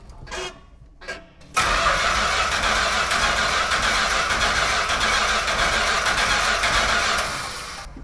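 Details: 1970 'Cuda 383 four-speed, not driven daily. Spark and fuel are confirmed, yet steady starter cranking at about four beats a second runs six seconds without catching. Possibly flooded, or it may need more fuel.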